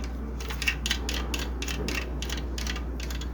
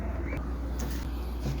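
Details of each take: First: Spirit fan: steady motor hum with rhythmic scratchy ticking about three per second; thermal protector came loose inside motor, likely from a broken heat-dried clamp, rubbing on internal support rods. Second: Spirit ceiling fan after refitting the loose thermal protector (broken clamp) and cleaning out dust. It now runs with only a low, steady hum; the bearings are fine and there is no more internal rubbing.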